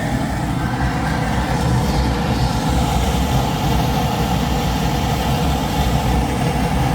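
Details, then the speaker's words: Goodman package unit after a new inducer motor was installed: an even, steady blower rush with a low hum and no scraping, rattle or squeal, much better than before. The inducer now runs smoothly, but a flame sensor issue is suspected next. "Sounds a hell of a lot better than it did the first time."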